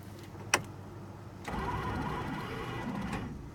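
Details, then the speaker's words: Scrapyard Plymouth Fury on jump pack; click then free steady starter whir, engine not turning; owner suspects chewed-up flywheel teeth. Cause suspected, not confirmed. "I can hear the starter engaging but it sounds like either the flywheels chewed up and there ain't no teeth lift on it"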